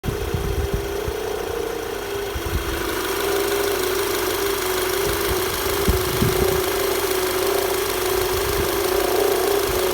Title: VW Tiguan knocking noise